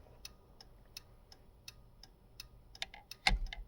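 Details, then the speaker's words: 1951 Chevrolet Styleline Deluxe converted to 12 volts and rewired with a universal signal switch: clean, evenly spaced flasher ticks about every third of a second, then a clunk; turn signal flasher working normally again after everything burnt up at the 12-volt swap. "you can hear that flasher going which is actually nice to have again everything burnt up as soon as I went to 12 volts"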